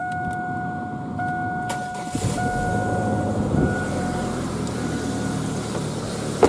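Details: 2000 GMC Sonoma 2.2L I4 after new belt and tensioner, PCV opening temporarily capped: steady, even low idle with no chirp or squeal from the belt drive; engine sounds healthy.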